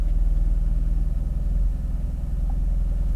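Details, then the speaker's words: 2016 Ford 1.6L EcoBoost GDI, new injectors and high-pressure pump 3 months ago, during a scan-tool misfire test: lumpy, uneven idle with a stumbling low thump every few beats; heavy miss on cylinders two and three from unseated coil boots. "all right let's see what the misfire test does that's bad miss i feel it right off the bat it's pretty heavy"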